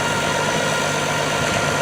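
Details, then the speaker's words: Tractor with a 1066 transmission housing and a brand-new MCV hydraulic pump running with a thin, constant whine over the engine. Mismatched gear pitch is suspected; unconfirmed. "You hear that whine? That's the MCV."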